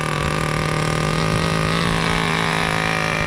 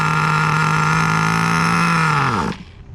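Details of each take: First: 2002 Tamiya Terra Crusher 1/8 nitro monster truck, throttle raised slightly after start: high-pitched buzzing engine holds steady clean note, no misfire or stumble; transmission slippage noted separately. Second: 2002 Tamiya Terra Crusher 1/8 nitro monster truck, pinch test on fuel line very close to carburetor to check low-speed needle: runs high about three seconds then sags and dies; poor indicator due to pinch location.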